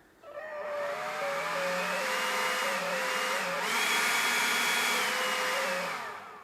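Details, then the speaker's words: Ryobi battery leaf blower with fully charged battery, trigger fully squeezed: motor whine climbs to high speed then sags and steps back down instead of holding, caused by worn trigger switch contacts. "you hear that I can get it into high gear but it doesn't stay there and it doesn't just go into high"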